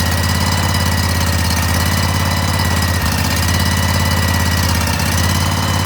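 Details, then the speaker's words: Cub Cadet tractor, Briggs & Stratton engine, after a carb cleaning, airbox off; steady even chugging at fast idle with a couple of brief stumbles, running fine. "We're going to see if it runs. Want to make sure that choke works right. And it does."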